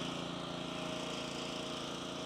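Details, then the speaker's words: Lee Boy tack wagon engine drones evenly with a fast regular pulse, its tone shifting as the bypass valve is opened to circulate CRS1 tack; normal running. "Open this bad boy. So you can hear the engine start to change tunes"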